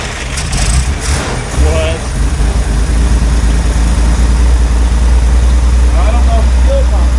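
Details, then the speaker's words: Corvair that sat in a field 20 years, carbs primed, running on old stale gas: catches, runs rough for a few seconds, then dies; fuel starvation stall, fuel pump not pumping or a blockage in the fuel system. "out there it ran out okay we're out of fuel so either the fuel pump's not pumping or there's a blockage in the fuel system"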